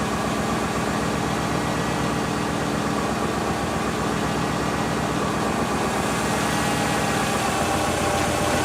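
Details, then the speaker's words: Subaru engine with refreshed top end (head gaskets, timing) but original, un-rebuilt bottom end, at normal idle: dull regular tapping underneath about four per second, tied to engine speed; owner suspects early-onset rod knock, unconfirmed. "But the engine has developed a knock."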